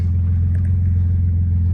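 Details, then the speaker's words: Dodge Magnum 3.5 V6 on a test drive after replacing a seized alternator: power steering is back and the battery light is off, so it is charging. Smooth, even low rumble with no whine, squeal or knock; normal running. "everything's back in place now I'm going to start it up and we're going to see it's working"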